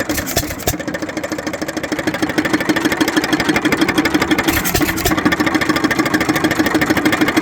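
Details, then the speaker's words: Economy (Hercules-type) 3.5 hp hit-and-miss single-cylinder gas engine, revived after long disuse and hardened-dust cleanout: slow steady firing with a light knock each stroke from slight play in the rod bearing and wrist pin. "Other problem with this engine which is a minor thing but there's a little bit of play in the rod bearing which you can see there. And a little bit in the wrist pin. I can see a little bit of play there and you can hear it when it runs."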